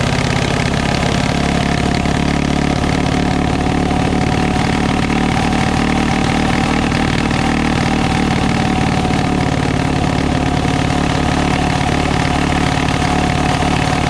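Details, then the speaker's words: Coleman CT200U-A minibike small single, elevated on stand: fast steady idle that never settles low; clutch stays engaged however carb is adjusted, lower setting stalls, throttle shows no bind. High idle. "I cannot get the uh the bike not to be engaged no matter how I adjust the carburetor I adjust the carb and it just uh if I adjust it low enough to where I think I'm finally going to get the clutch not to engage then the bike dies"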